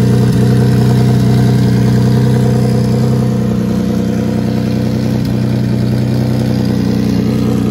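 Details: Nissan 350Z VQ35DE single turbo, Garrett T04E on 10 psi, open hood-exit dump and wastegate, just restarted after thermostat swap: deep even idle with a steady low pulse about 3.5 beats a second, no ticks or knocks; healthy.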